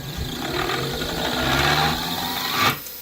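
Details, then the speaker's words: Old motor after new 6203ZZ bearings, reset and run at 60 Hz on a VFD: hesitates, then spins up with a harsh rising scrape and squeal. Sparks are seen from physical contact inside, so the rotor is rubbing the stator and the motor is finished. "Ooh, I thought I saw a spark in there. It's definitely touching something in there."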